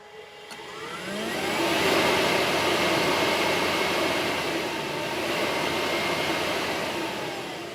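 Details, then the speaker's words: HPEVS AC-50 electric motor on a 144V controller with the motor type set to 75 as a test: smooth electric hum swelling, holding and easing off with no whine; motor still runs normally. "So, that's good. So, it still works. No No noise."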